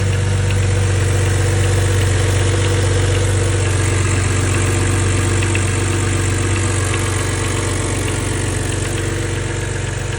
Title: N52 Knocking Sound